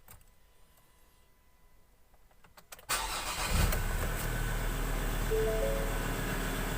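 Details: 2018 Ford Ranger Wildtrak 3.2 diesel after its no-start problem was solved: near silence, then a short crank, the engine catches promptly and settles into a steady idle with faint music behind; starts normally.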